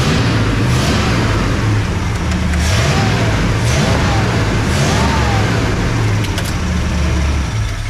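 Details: 1979 Ford F-250 welding truck V8, revived and running on high-test gas; deep, steady rumble pulling up through a few revs, firing evenly with all eight cylinders working: normal running.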